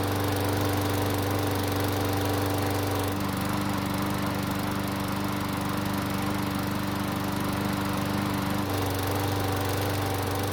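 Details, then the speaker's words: Old Craftsman mower that ran last year but wouldn't start after winter storage, started after air filter base, breather hose and filter were refitted: small engine buzzing steadily, pitch stepping once then settling, no misses; running healthy. "luckily it started with no issues and it sounds fantastic now for being as old as it is i have to congratulate the owner for taking such good care of it"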